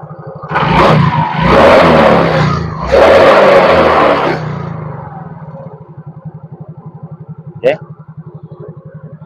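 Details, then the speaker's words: Yamaha Mio GT single-cylinder scooter after replacing the failing idle speed (ESC) sensor with a manual adjustable workaround: after throttle blips it returns to an even steady idle putter, no hunting or surging. "Stabil stasionernya, jadi kita bisa perkirakan handle-nya seberapa, feeling aja."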